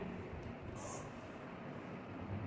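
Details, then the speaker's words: Washing machine spin dryer running: steady, even low hum with no knocking, rubbing or scraping; dryer works normally, the noise having come only from the wash side when loaded with clothes. "Machine का डर भी चालू हो गया joke हमारी machine में र में से भी कोई भी आवाज नहीं सुनाई दे रही है"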